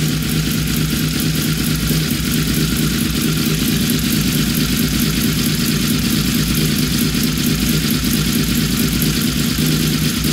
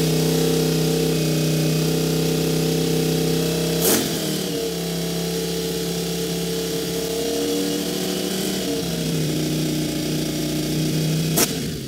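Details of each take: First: Honda VFR750 V4 after synchronizing the carburetors to cure a high idle, barely warm: a smooth, even, sewing-machine idle with no misses or hunting; it is running normally. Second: Honda VFR750 V4 just after carburetor install holds a fast, steady high idle that dips briefly but won't settle, throttle sticking slightly open.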